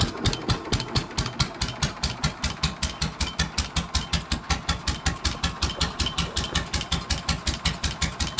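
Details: Rare GM 1-71 single-cylinder two-stroke diesel (1938-40, WWII fuel-ship backup generator), rebuilt, with a rebuilt starter and new fuel lines, now electric start, throttle at idle: crisp, even thumps about six a second with no misses. Normal idle.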